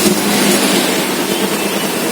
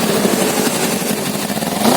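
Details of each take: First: Kawasaki Z250 FI, previously misfiring at low rpm, black smoke, high fuel use, no stable idle, after repair: steady, even idle with no misses, surging or stumbling; fuel mixture now correct, smoke no longer black, normal idle. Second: Fuel-injected Kawasaki Z250 with no warning light that runs rough at low rpm, won't idle and sometimes hangs at 3,000-3,500 rpm, with pungent black exhaust smoke and heavy fuel use: a ragged, stumbling note; rich misfire.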